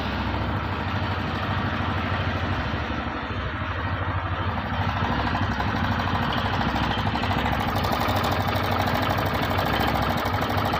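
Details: TVS BS6 single-cylinder motorcycle (Radeon/Star City Plus/Sport) at idle: a steady beat with a quick, uneven metallic rattle on top, about three a second, from a slack timing chain.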